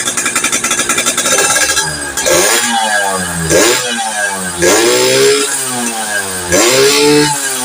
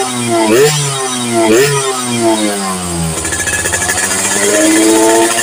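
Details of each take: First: Yamaha FIZ R two-stroke motorcycle with reed-valve intake, spark plug swapped to standard, crankcase compression leak and pulser suspected: revving in blips, crackling and popping irregularly instead of clean pickup; misfire and popping, cause not yet pinned down. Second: Yamaha FIZ R two-stroke with popping/backfire on throttle, after swapping in a replacement coil (pulser and small tank also suspected): blips up and down cleanly, then holds a crisp, even buzz at raised revs, no popping or misfire.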